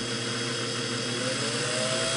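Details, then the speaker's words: Vintage Singer 404 sewing machine after degreasing and fresh oil and grease, run first in bobbin-winding mode and then sewing mode starting slow: even, smooth whirring with a light steady hum and no knocks or rattles. Normal sewing run. "okay take off speed okay that sounded good so i'll put it back into sewing mode now and start slow i'll start slow and see if i don't get uh some needle and hook feed dog movement now that sounds great"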